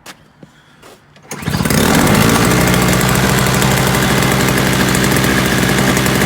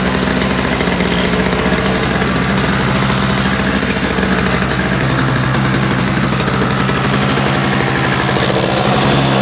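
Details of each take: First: Free roadside Toro single-stage snowblower, missing its primer bulb, with Seafoam added and a possibly cold engine: it goes quiet, then the small two-stroke catches and holds a steady, even fast beat; it runs fine. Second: Free roadside-find Toro single-stage two-stroke snowblower, primer bulb missing, electric start not working, running briefly on sprayed starting fluid: loud uneven buzzing that fades as fluid burns off; fuel delivery problem suspected, not confirmed.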